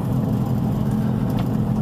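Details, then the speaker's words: Dodge Durango at road speed: a steady low droning rumble under the exhaust, coming from the front left. The owner identifies it as the wheel bearing. "Yeah, it's making it now. rumble. It's coming from the front left."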